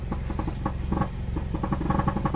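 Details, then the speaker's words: 2015 Subaru Forester at idle, heard under the car near the muffler: loud uneven putt-putt pulses chuffing out instead of a smooth hum; bad muffler, to be replaced with a Walker Quiet-Flow muffler. "okay so here's my Subaru Forester Muffler problem it sounds like down here and here it's pretty loud just kind of putts putts putts that's what a bad muffler sounds like"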